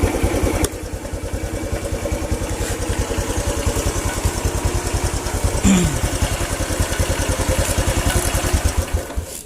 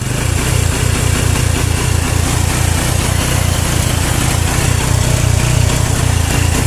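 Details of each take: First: Honda Revo single-cylinder motorcycle: steady, even putt-putt idle about two and a half beats a second, no stumbles; charging output confirmed. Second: Honda Revo single-cylinder motorcycle with battery fitted, idling rough (brebet) with uneven, skipping beats; weak charging system starving the ignition.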